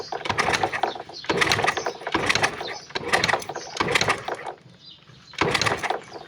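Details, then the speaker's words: Car that stalls when hot or after long drives now cranks in repeated short starter bursts but never fires; no ignition spark reaches the plugs, cause not yet found. "ถ้าหากว่านะครับมีไฟมานะครับมันจะเสียงดังแต๊บๆๆๆๆๆๆๆนะครับตอนนี้มันไม่ดังมันไม่ตัไม่แต๊บให้แล้วนะครับ"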